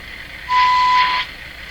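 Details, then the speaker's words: Hallicrafters TW2000 World Wide radio after fixing an oscillation problem and replacing an IF transformer, during IF alignment: a clear steady tone comes through in bursts over light hiss, a clean IF test tone. "That's the IF. Wow, does that ever come through nice?"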